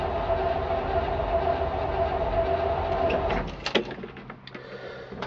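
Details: 1968 Chevrolet C-60 farm truck, 327 V8 with a 2-barrel carburetor and a four-speed: the starter whirs steadily and the engine turns over about two and a half times a second but never catches. Cranks, no start; flooding is suspected.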